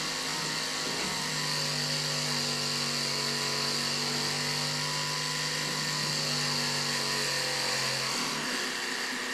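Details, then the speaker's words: Transfer pump draining a Ford Super Duty diesel aftermarket fuel tank through a long, unprimed hydraulic hose: steady low motor hum under loud airy hiss and sputter; pump sucking air because the pickup isn't in fuel yet. "Hose is a little long, so it's just going to take a little extra time. I could have primed the hose with a little fuel first, but should go. Sounds like it's sucking air though."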